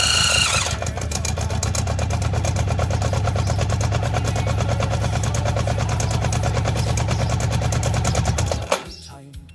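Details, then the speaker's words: Honda CB750, 65,000 miles, left outside for years and previously seized: fires on fuel squirted from a syringe, runs roughly about eight to ten seconds, then stalls once the primer is gone. "Well, it was trying to fire then, but then it stopped."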